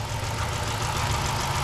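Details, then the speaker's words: 2006 Dodge Magnum 5.7 L V8, warm from a trip, started just after a K&N cold air intake install with no check-engine light: a deep, steady idle with an even, unbroken rumble and no misses or knocks. Normal, healthy idle. "Oh yeah, you can hear that throttle open up real good now. Well, that sounds pretty good. That sounds so good."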